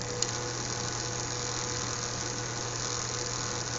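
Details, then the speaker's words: Four fischertechnik motors driven by an Arduino Mega 2560, all working after rewiring: constant low hum with an even high whir and no speed changes, catches or clicks. Normal running. "pulse working in fact all four motors are working them"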